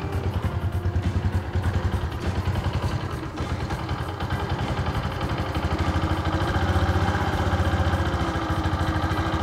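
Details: Yamaha Jupiter MX 135cc, six years old, after engine overhaul, idling: light steady top-end tapping, normal for this engine; raising idle rpm slightly makes it steadier and quieter.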